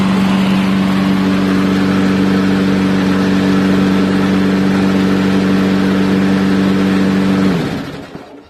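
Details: Revived neglected old push mower running a steady, even drone with no misses, then winding down and stopping; owner notes it still starves a little for fuel, assuming some junk remains.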